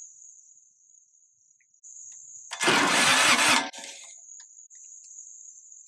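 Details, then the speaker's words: Kubota G5200 HST diesel tractor, sat for years, diesel smell at half throttle: brief starter crank that never catches over a steady high drone; no fuel reaching the engine, electric fuel pump not running. "I don't think I'm getting fuel to this part. And I know that there's a fuel pump, an electric fuel pump back here in the back."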